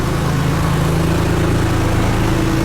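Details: Porsche 911 Carrera 996 after alternator replacement: smooth, even low idle with steady pitch, no knocks, ticks or whine; charging around 14 volts. Normal idle.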